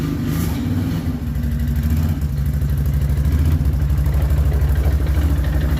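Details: Rebuilt 2007 Can-Am Outlander 500 single-cylinder ATV engine, first run after fixing a sliced leaking fuel line: steady, even thump about three per second with clean firing; healthy.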